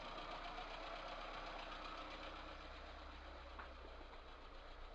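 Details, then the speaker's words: VAZ 2108 1.3 L engine at steady idle, fast light ticking about four per second from the valve train; cause found as heavily worn valve guides with large valve play, one valve burnt, apparently from exhaust gas blow-by. "значит вот я снял голу не показывали шоу чему и как я снимал бы мог она снята обнаружил дней следующие два клапана имеют огромный люфт направляющих втулках"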